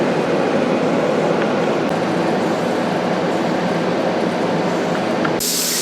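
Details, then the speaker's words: Pressure canner with 15-pound heavyweight regulator at full pressure while canning raw-packed chicken breast: steady even hiss, rocking on and off as normal; constant venting would mean heat too high. "It will start doing that type of a noise on and off. You don't want it constantly doing that. That means the heat is too high."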